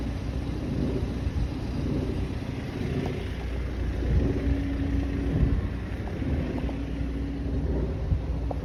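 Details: 2017 BMW 330e (F30) plug-in hybrid, 66,000 km engine: deep droning roar with wavering vibration over steady idle on cold start, mostly in winter, sometimes summer; disappears once oil warms or after a short drive; cause unknown.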